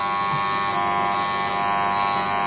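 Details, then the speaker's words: Pool filtration electrical box, switched on: loud constant raspy buzz from the contactor, which vibrates under a finger; the contactor is tired and must be replaced. "Quand on met le doigt dessus, on se rend compte que c'est bien ici que ça vibre, donc c'est signe que le contacteur est fatigué et qu'il faut le changer."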